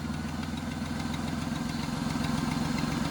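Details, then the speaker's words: Buick 3800 engine after an oil change, idle: a fast, even puffing tick about three to four times a second from a leaking exhaust manifold gasket, which compresses and hushes when hot. "you hear that noise, folks? That's an exhaust gasket. Manifold gasket, yep. When it gets hot, it kind of compresses and hushes."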